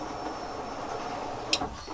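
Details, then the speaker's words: Time-attack turbo build fuel system upgrade, pump rewired through a relay from the kill switch and powered by a separate battery: faint steady pump whine with a relay click as the fuel pump primes; healthy. "So you can hear the fuel pump prime, you hear the relay click."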